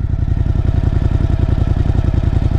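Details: Overland vehicle run in first gear while investigating a rear tyre/wheel noise near the gasket area, cause not found: even, rapid engine pulse with no clicks, rubbing or grinding from the rear. Normal running.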